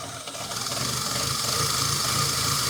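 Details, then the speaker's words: Fiat Panda 4x4 after removal of its turbo kit, ECU and intake, with slight throttle applied. Engine note swells and sags instead of holding: hunting, uneven idle. Unplugging the throttle position sensor helped once; cause unconfirmed. "I'm not pushing it up and down, but take a listen. The engine is going up and down badly."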